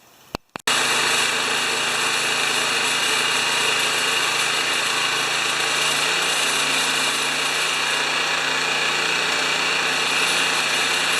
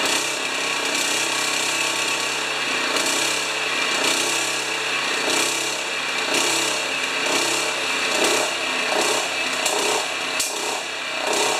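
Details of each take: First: Honda HRA214 mower after a lean-running spark plug and carburetor rejetting of the main jet; starts quickly and settles into a steady, even buzz with no surging or hunting, running better. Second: Honda HRA214 self-propelled choke-start mower, previously worked on, after fixing choke and throttle linkage; harsh buzzy engine swells and sags about once a second without settling; owner unsure if rich or lean, running lean.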